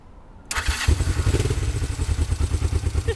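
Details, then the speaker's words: 1969 Honda CL450 after starter clutch rebuild, start button repair and new starter solenoid: short starter spin, engine catches at once into a steady low thumping run, slightly uneven, not fully warm, petcock off; healthy electric start. "there you go running a little weird it's not fully warm yet"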